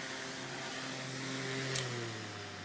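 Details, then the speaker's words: Fan powered by an 1100 W modified sine wave inverter: steady electrical hum with stacked tones over fan whoosh; motor runs inefficiently, hot, using more power; on a 300 W pure sine wave inverter it runs smooth without humming. "sound I'm sure you can probably hear that humming sound and it means the motor is running like super inefficiently it's kind of it runs hot it's using more power than if you would use the pure S Wave"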